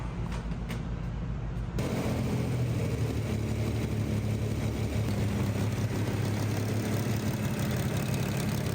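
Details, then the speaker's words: 1965 Corvair with a newly installed engine, first start for cam break-in: it catches after a couple of seconds and runs with a busy, uneven clatter over a low rumble. Valve train noise, considered expected. "Got a little bit of valve train noise, but that's to be expected."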